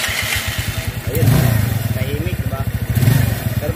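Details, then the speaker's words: Yamaha Mio scooter, CVT side with back plate, spacer, drive face and star fitted for testing: uneven clattering knock with faint scrape from belt side; crankcase/CVT cover rubbing on a pin, quiet when empty, fixed by seating it properly. "Crank case ito na tumatama na ong pin dito dito diyan tumatama mga guys yan"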